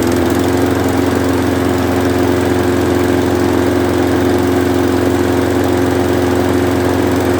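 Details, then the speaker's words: Craftsman 6.5 hp Briggs & Stratton flathead mower, given as not working, first run after carb spray went into the spark plug hole: it runs at a steady, even speed with a clean, regular beat and no misses. "Looks like we got ourselves a runner. I don't know what the heck happened there, but I mean, it had spark, I guess. I guess it was just that easy. All it took to get this engine started was a little shot of carb spray."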